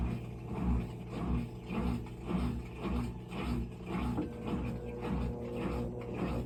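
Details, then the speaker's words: GE washer with oil-saturated drive belt, motor and pulley (oil possibly early sign of transmission failure): tries to spin, spin light comes on, quiet motor hum surging in and out under twice a second, drum never reaches speed; drive belt slipping. "see it spins started to spin the light came on and there's a resistance we're gonna dig into that"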